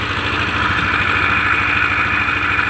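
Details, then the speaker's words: Yamaha NMAX scooter with a rough, jingling engine noise: steady idle with a bright metallic rattle; the opened belt drive shows a badly worn gear compared with the thick front gear, causing the jingling. "ini udah us banget beda sama Gigi yang di depan ini ini masih tebel dan ini harus banget ya Jadi bisa menyebabkan swalla suara Gemerincing kayak tadi"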